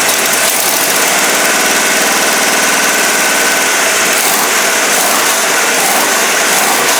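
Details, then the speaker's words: Dodge 440 big-block for a '69 Charger R/T running on a test stand, about 45 minutes run, roller cam, lifters and rockers after two failed Comp Cams: a loud, steady, even run with no stumbles or knock. It runs cool with no leaks. "oh man I am so relieved that this thing sounds good and doesn't leak it runs cool"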